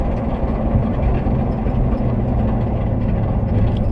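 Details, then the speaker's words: 1981 Ford Capri 2.8 Injection, 4-speed manual, driving: heavy engine drone with a rough uneven rattle, caused by a snapped engine fan blade striking its surroundings. "there is definitely some very strange sounds coming from the engine of the car this is uh not a good sign i have no idea what it is"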